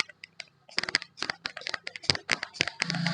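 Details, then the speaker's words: Maruti Suzuki Ritz diesel, old alternator pulley removed and spun by hand: uneven dry crackling clicks and a gritty rasp. Worn pulley bearing. "അപ്പൊ നേരത്തെ നമ്മൾ ഇങ്ങനെ കറക്കുന്ന സമയത്ത് Crick Crick എന്നുള്ള ഒരു sound ഉണ്ടായിരുന്നു"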